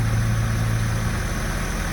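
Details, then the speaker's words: 2003 Porsche Boxster base with Tiptronic, flood-salvage non-runner reportedly at 144,000 miles, first start after battery revival: low even hum at idle with no misses, ticks or wobble; smooth healthy idle. "Foot on the brake. It runs. Wow. Listen to it. Wow. Holy smokes. It sounds beautiful."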